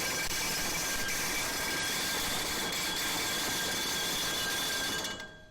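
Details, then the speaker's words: Overhead rolling fire door on a LiftMaster LM21XP release, drop-tested after an adjustment. A steady rattling roll ends abruptly when the door lands after about 6 seconds, right at the minimum limit; aiming for closer to 10 s. "Okay, now that was uh that was just about 6 seconds. All right, so I did make some headway by bringing that down. Uh, let me see if I can get it closer to 10 seconds."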